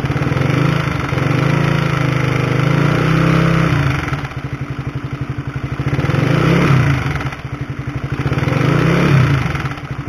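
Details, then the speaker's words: Honda CB150R, microphone close to the engine, throttle blipped: a metallic clatter rides over the engine and swells with each blip, from a worn, noisy cam chain (tensioner chain), before replacement with a DID chain. "Nah itulah suara dari rantai ketengnya atau rantai tensionernya Bagaimana kaya suara helikopter kan kayu mesin jahit tapi kalau digas kayak supertrees-nya H2 ya haha"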